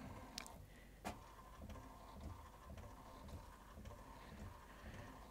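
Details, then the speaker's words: HP PhotoSmart All-in-One (C6100/C7200 series) after media sense sensor calibration, running printhead alignment: quiet uneven ticking and chugging as paper inches through; normal paper feed during alignment. "i don't know if you guys can hear that but it's churning and chugging away here and it's inching the paper through as it does this aligning of the cartridges or lining of the printheads i should say"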